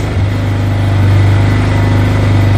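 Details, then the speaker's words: Wilderness ATV single-cylinder engine started on full choke after carburetor ruined by ethanol was addressed: steady, even low thump idling smoothly with no misses, idle possibly slightly low. "You gotta be kidding me. It works. I thought this thing was dead."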